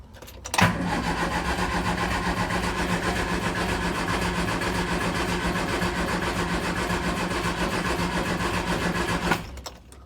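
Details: 1970 Triumph Spitfire MK3 at the start of restoration: steady fast cranking churn for about nine seconds, one brief catch that dies away, then stops; cranks but won't start, spark present, owner suspects it needs more fuel.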